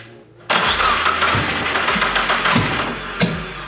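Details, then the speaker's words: 3G Eclipse turbo with Sonata G4JS DOHC head, first start after head gasket swap, timing belt on, oil change and turbo refit: starter spins briskly with even cranking pulses but never catches; spark and compression present, cause not found after three hours. "all right so we have spent the last three hours in here trying to find out why the car didn't want to start"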